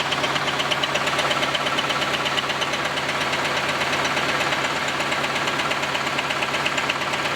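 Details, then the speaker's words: Camaro first run after exhaust repair: steady rattling knock, roughly three a second at idle with a sharp tick on top, most pronounced when revved. Owner suspects loose connecting rods or crank journals; unconfirmed. "rattle it's a knock so that's what we really heard pronounced when I rev the engine that sort of like rattling sound it's basically step bouncing around"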